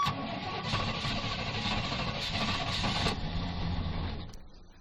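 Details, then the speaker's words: Fuel-injected gasoline Suburban started after priming: short crank, catches, runs at fast even idle without misses; it races until it gets going, owner suspects sticky throttle. "might have been it like I said this this motor races till it gets going I don't know why"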